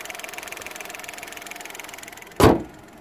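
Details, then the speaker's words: 2021 Dacia Duster facelift 1.0 TCe 100 running on LPG at idle: fast, even light ticking over a steady idle, then one sharp click. The LPG gas injectors are noisy, as on the 2019 model, though quieter in the cabin. "Na gazie niestety wciąż wtryski hałasują dokładnie tak samo jak i w 2019 roku."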